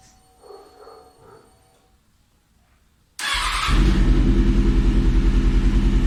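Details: Kawasaki ZX6R after a fuel pump replacement (it had hard starting; plugs, wiring and coils were already checked): primed, quiet clicks, then it catches and settles into a steady, even beat with a smooth rev, running cleanly.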